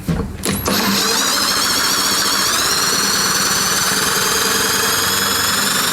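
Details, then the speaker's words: Stiff Briggs & Stratton engine on a Husqvarna, never had its oil changed, with molasses-like varnished oil and the intake valve and lifter stuck; cranked over, a steady high whir that starts stiff, then picks up speed as the varnish-stuck lifter frees. "i just started spinning this over and boy i could tell right and all of a sudden started to pick up speed i told you it was stiffer"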